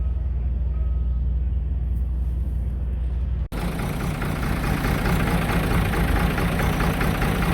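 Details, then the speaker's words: 5.9L 24-valve Cummins truck after finding water-contaminated fuel, started by bypassing the computer and hot-wiring the VP44 injection pump; steady low diesel chug at idle with even firing; normal diesel idle. "Well, we got her fired up, boys. Had to bypass the computer. Hot wired the injector pump down in there, but she's chugging."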